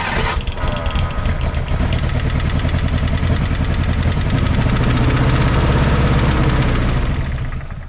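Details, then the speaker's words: 1964 Jeep CJ5 one-owner barn find, previously seized engine: starts and runs rough with uneven chugging that surges and fades; owner unsure whether it gets too much or too little fuel. "oh oh she's dying down dying down of dying well she stumbled and died there but man it ran that's the longest I've heard it run"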